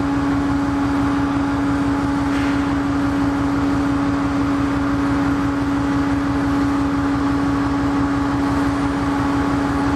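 Steady low drone with a firm hum on top and a slightly uneven pulse underneath; this big diesel is idling rough.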